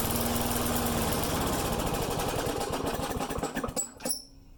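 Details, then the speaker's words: Mower with a start-and-die problem, air cleaner refitted: choppy, uneven firing that falters and dies, running rough and stalling. Owner suspects a leak deeper in the intake system. "This is getting frustrating. I'm wondering if there's a leak somewhere deeper in the system."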